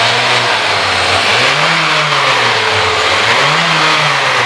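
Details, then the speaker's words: 2008 Honda Jazz (Type S automatic upgraded to RS), 4-cylinder inline engine, revved to 5000 rpm: smooth steady roar rising and easing back twice, no knocks or ticks; engine sounds healthy. "Nah itu kedengaran ya dari raungan mesin nya aja masih halus jadi menandakan mobil ini install mesinnya masih bagus masih aman masih lancar"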